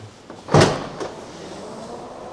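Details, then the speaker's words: Tesla liftgate closing after repair: one solid thud, then a brief soft hum of the replaced cinch motor that pulls a cable to draw the gate into the lock mechanism; trunk working again, normal liftgate closing. "Actually, when you close the trunk, it will pull. That you hear that. Yeah. That's the motor that pulls the lift gate towards the lock mechanism or something."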